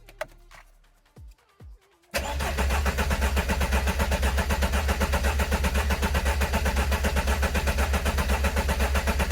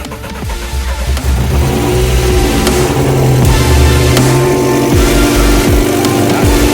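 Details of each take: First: Engine cranked to build oil pressure after six years standing, coolant bled, injection/fuel pump not yet connected: after clicks, steady even churn of about two beats a second with no firing; oil pressure light goes out while cranking, pressure judged good. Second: Decatalysed car at first start after 6 years standing, just after a coolant purge: harsh, very loud raspy exhaust on rough revving. The owner finds the manifold/exhaust noise too loud and suspects a leak somewhere in the line; smoke and smell follow.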